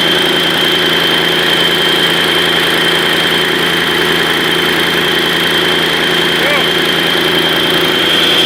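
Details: Mercedes-Benz OM 502 diesel after major overhaul, first start: even, steady idle with constant beat, no knocks or misses; running smoothly.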